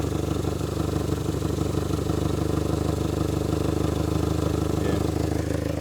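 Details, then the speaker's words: Mitsubishi Galant, once overheating (suspected head gasket, apparently avoided), now no longer overheating: steady idle with a puffing beat about three per second and slightly uneven rhythm, rough running from an exhaust leak. "I don't know if you guys can hear it obviously it's got the uh exhaust leak and whatnot"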